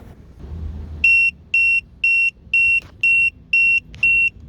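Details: Tymate tire pressure monitor, with air let out of the left front tire and a sensor removed: eight sharp high beeps, two per second; low tire pressure alarm.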